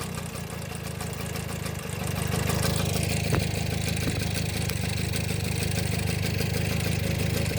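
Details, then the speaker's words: 1972 Kawasaki MT1 small single kick-started on choke: catches and settles into a quick steady putter after slight rise; idles cleanly, healthy. "if I can get you guys to... Alright, not bad for a runner."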